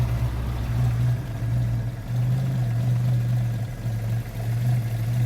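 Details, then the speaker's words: Classic car with points ignition after the plugs were overhauled and the points gap reset. One plug had been black and sooty and not firing properly. Warm tick-over is low, steady and even with no misses, and the engine is now ticking over nicely. "But now, I'm pretty happy with what's going on now here. That's ticking over nicely."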